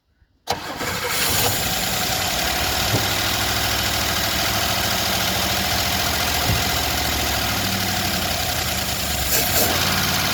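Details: 1977 Chevrolet Malibu Classic, odometer 102,000 miles (likely more), first start attempt with fuel poured into the carburetor bowl; fires straight away and settles into a steady, even idle with no stumbling; normal start and idle.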